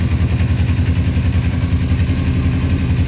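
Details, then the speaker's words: 2000 Kawasaki Ninja 250 with Yoshimura pipes, after idle screw adjusted to push up the carburetor slide, choke off: even steady low putter about three and a half pulses a second, no knocks or stumbles; normal idle. "idling. And the headlight does work. See if high and low work. Yep. So everything officially works on it. Wow, that sounds really good."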